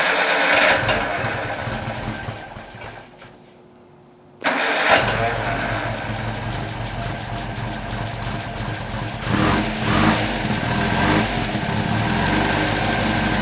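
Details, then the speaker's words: 1954 MG TF, engine rebuilt, dual exhaust, fuel pump primed before start; cranks, catches after a short pause and settles into a smooth, even idle with no knocks or misses, a healthy engine. "I think once you hear it you'll see uh what a nice job they did it so it's a smooth running babe"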